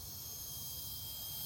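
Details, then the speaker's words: Rivian R1S Tri-Motor just parked after tire pressure dropped rapidly while driving: a loud, steady, unbroken hiss of air escaping from a large puncture in the tire. "And I can hear the hissing. It's a It's definitely a big hole because Yeah, I can feel where the air is."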